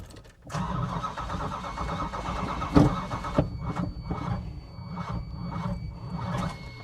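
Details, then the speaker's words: Long-sitting engine run on a temporary fuel tank. Slow, labored cranking with an uneven lurch partway through each turn, then a rough catch; the owner suspects the ignition timing, never set properly, is advanced too far. Unconfirmed. "That rough spot, you know, I never did time this properly, but that rough spot just feels like there's too much. It's advanced too far."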